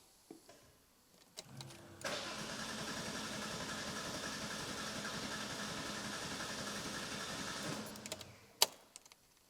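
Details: RWB car after clutch damage from an attempted burnout, before fitting ancillaries; starter whirs steadily for about six seconds but the engine never catches or fires; cranks but won't start.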